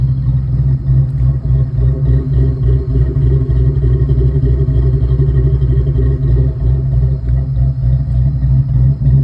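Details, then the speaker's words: Ford Mustang cammed 4.6 SOHC rebuild, first start, idle issues from misset throttle plenum blade; loose uneven clatter about three a second over low rumble from broken exhaust hanger flopping, not engine knock; later fixed. "That sounds just an exhaust hanger that I broke flopping around. It's not engine knock. It was fixed later."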